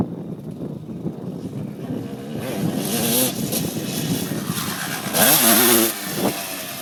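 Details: 2002 Suzuki RM250 two-stroke on its last trail ride before a teardown and full rebuild: note wavers in a slow, uneven wah-wah under no throttle while slowing, clearest toward the end, over wind and trail noise; worn engine, cause unconfirmed.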